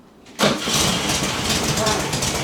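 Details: 1969 VW Beetle unrun for over 25 years, first start after new points and rotor refitted: catches at once and settles into a steady, busy idle with no misses or knocks.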